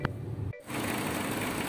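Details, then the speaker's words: Mitsubishi Adventure engine running after replacing the loose air-conditioning belt bearing/idler: smooth, steady hiss and hum, AC belt turning quietly with no squeal, even without belt spray; AC cold again. "yyung andar niya smooth na smooth na wala ng ingay Hindi ko pa nga nilagyan ng spray belt yan eh wala ng ingay o kung maririnig niyo tahimik na Tahimik yung ikot nung ano nung bearing yung sa aircon belt yan aayos na smooth na smooth"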